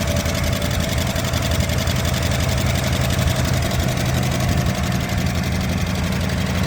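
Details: Barn-find 1963 Ford Galaxie 500 convertible, 289 V8, first start in 30 years on primer: rough idle with faint light ticking; valve train noise, owner hopes lifters just stuck and may add automatic transmission fluid to free them.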